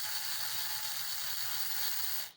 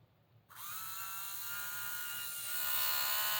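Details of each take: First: HO Viper slot car giving a shrill, steady high whir with a gritty, chattery edge that cuts off when power drops; gears not broken in and too much play in the un-shimmed rear end. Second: HO slot car with the rear end shimmed to remove play: a smooth high whine rising slightly in pitch as it spins up, with no gear rattle or chatter; runs clean.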